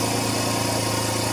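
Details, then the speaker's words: Renault Kwid that surged, hunted and stalled with code DF1058 from an intake manifold vacuum leak, after refitting the intake manifold: now a steady, even, quiet idle with a low hum and no hunting or dips, a normal idle. "अब बिल्कुल silent हो गया। पहले handing type कर रही थी। Race कम ज्यादा हो जाती थी।"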